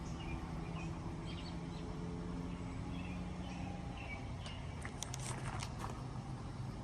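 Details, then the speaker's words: Kohler K181 on a log splitter, after years outdoors, rebuilt with flywheel magnet and fin repair, new points and new carburetor: even, steady low drone at constant speed, no misses or knocks; birds in background. "Got the engine back together, got a new carburetor on it, and it's back on the log splitter. Let's start it up and see how it runs."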